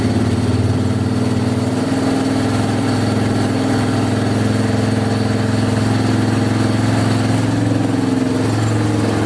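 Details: Yamaha Wolverine 350 4x4 ATV (last registered 1999) after carburettor cleaning and fresh fuel; single-cylinder pulls up smoothly and revs out cleanly without the choke, no stumbling; still smoking heavily, owner to check oil.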